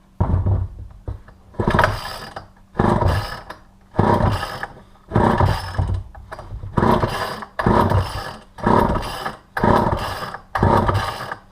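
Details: Vintage all-metal Poulan 2000 chainsaw, sat for years, case recently filled with water, choke on: rhythmic pull-cord strokes about once a second, each a rasping cranking burst, not yet catching.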